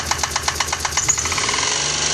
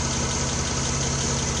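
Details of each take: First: 1993 Geo Metro, 3-cylinder, 5-speed, air-conditioned, at first start-up: hard, uneven tapping about twice a second over a lumpy, shaking idle; not a rod but a plugged, oil-starved lifter that has killed one cylinder. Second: 1993 Geo Metro with restored drivetrain, timing not yet set: smooth steady idle with an even low hum; normal idle, slight valve cover tick remains.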